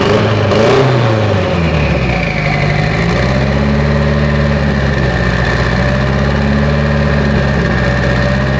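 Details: Mitsubishi Evo 8 four-cylinder being built for 800whp, restarted after coolant top-off; oil pressure, AFRs and fuel pressure all good: brief rev blip, then smooth even idle, no knocks or misses; normal idle.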